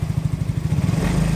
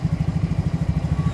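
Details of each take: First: Yamaha Mio J fuel-injected scooter, brought in for hard starting, stumbling and stalling off throttle after an injector change, engine still cold: steady even idle about three beats a second with no misses; scanner shows compression starting to weaken. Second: Yamaha Mio J scooter, hard to start, rough running, stalls off throttle, injector already replaced without cure: low thumping idle about eight beats a second, slightly lumpy and uneven; rough running.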